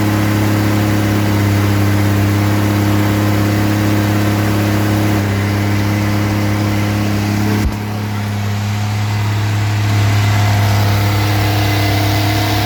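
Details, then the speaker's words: Rebuilt 230 six-cylinder on first start, cam break-in at fast idle about 2000 rpm, 40 psi oil pressure, 180° temp, timing advanced to about 10° initial; smooth even hum, no valvetrain ticking, no smoke; healthy run-in. "we're at about two thousand no it's not even smoking all right we we're breaking in the cam right now it's running really good sounds good no ticking"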